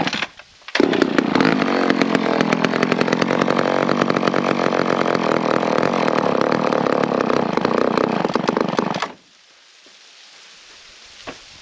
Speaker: all right well that's another one running the Oilers pretty well